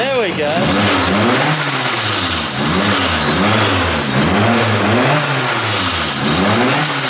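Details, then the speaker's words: Freshly built rear-wheel-drive converted Mitsubishi Lancer on E85, first start: engine rises and falls cleanly through repeated blips with turbo whistle on top; pulls freely, sounds healthy. "Wow, it sounds healthy, huh? That's awesome."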